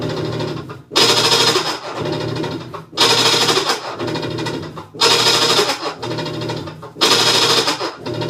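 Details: Whirlpool top-load washer during wash cycle: harsh grinding surges every two seconds with each agitator stroke, clicking mixed in, suggesting worn drive or transmission; grinding and clicking noise.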